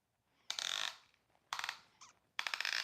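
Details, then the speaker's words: Traxxas Rustler RC truck, removing the screws holding the rear assembly during a transmission rebuild. Short, high, gritty ratcheting bursts as each screw turns, from sand in the threads. "Oh, if you can hear that sound, that's because there's sand in those threads."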